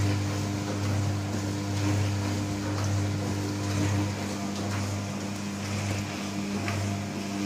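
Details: New Candy Trio 9501/1X running loudly: a steady low hum with strong droning tones and a slight slow swell; loud humming resonance, source not identified.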